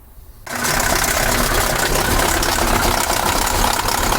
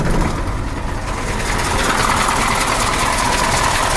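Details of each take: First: KamAZ 740 Euro-2 diesel, cold, now hard to start and leaking oil: catches after brief crank, then rough clatter with loose knock about 220 a minute; loose injection pump drive. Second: KAMAZ 740 Euro 2 diesel after rebuild and valve adjustment, with oil consumption/leak: steady even clatter at idle, no extraneous knocks; engine running smoothly.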